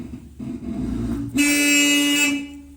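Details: Opel cabriolet, first start attempt, ignition taken apart and operated by a button because there is no key, sketchy electrics: low rumble interrupted by a steady horn blast of about a second that nobody pressed, pointing to a wiring fault; suspected, not confirmed.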